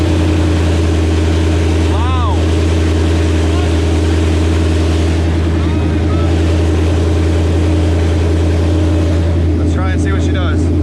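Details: Mustang with built engine, first start after transmission and clutch repair and clutch bleed, open headers with exhaust not fitted: loud, deep, steady idle, even beat, no knocks, slips or clutch chatter; normal healthy idle.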